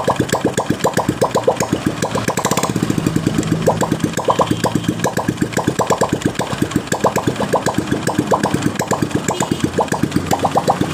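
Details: Honda Absolute Revo, engine cold, right crankcase cover side: fast choppy idle with coarse mechanical rattle on each firing pulse, rough only when cold, smooth when hot; misaligned clutch-side gear.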